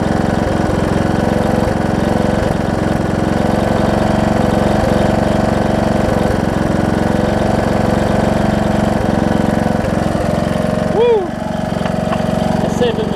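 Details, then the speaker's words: John Deere D110 mower engine test-running after a full rebuild with a new head gasket, done after a detached flywheel magnet was found: steady, even drone with a clean, consistent beat, no knocks or misses. Possible valve-cover oil leak, maybe burn-off. Normal running. "said seems to run good oh so good"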